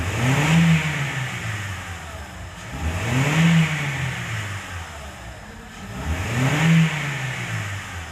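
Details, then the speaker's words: Honda Civic Hybrid (Rebirth) after repairing sticking valve pause system (P1024) causing rocker arm noise and P0300 misfires: three clean throttle blips rising and falling smoothly, no tapping or clatter, only faint wiring noise; normal revving after repair. "तो यहां पे आप देखेंगे तो बिल्कुल smoothly जो है गाड़ी रेस गाड़ी है एक्सीलरेट हो रहा है कोई एक्स्ट्रा आवाज़ नहीं है"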